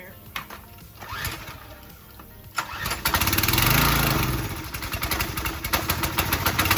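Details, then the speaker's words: Pressure washer small engine on fresh gas, throttle at fast, pull-started: catches and revs up, then speed sags and surges unevenly and dies out as if starving for fuel. Carburetor issue, clogged carb jet suspected. "So you can kind of hear. Probably easier to pull. And you kind of hear how it's dying out."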